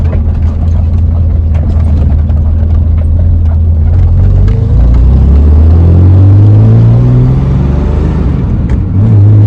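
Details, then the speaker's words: BMW E28 after an oil change and valve adjustment that fixed tappet noise: even low drone rising smoothly as revs climb, no top-end tapping, exhaust blowing; valve clearances sound right. "But as you can hear, not major taper noises. Motor's very quiet now."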